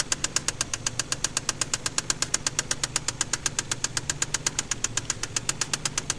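Sharp metallic knock, about four a second and very regular, hammering over a quiet idle: a spun rod bearing knocking.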